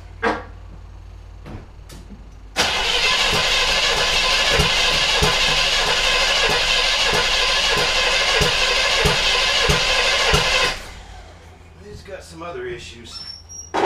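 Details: 1978 Chevrolet El Camino, after dry-rotted fuel line fixed and gas added: starter churns about four beats a second with sharp uneven pops and no catch; popping while cranking, later confirmed as a worn cam lobe.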